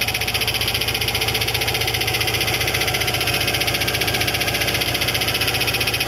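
Steady idle carrying a fast, regular metallic tick and rattle of about two or three per second, typical of a cracked drive plate.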